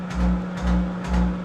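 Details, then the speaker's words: Monarch 10EE lathe cutting a relief groove with high-speed steel in 1 1/4" pre-hard steel: the drive hum swells and fades about every half second as spindle speed surges under load; the compensating circuit needs adjusting. "Things kind of surging a little bit. I got to adjust that."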